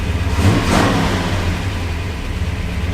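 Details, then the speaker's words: Worn-out 1974 Ford F250 Highboy V8 after fresh oil and carburetor and ignition tuning (more timing, idle screw adjusted to hopefully stop dieseling): deep steady rumble, swells on a throttle blip and settles cleanly; off-idle performance improved; normal running. "oh that seems way better now little more timing L uh idle screw get rid of that dieseling hopefully and use a little more power and off idle performance which seems to be really good now actually"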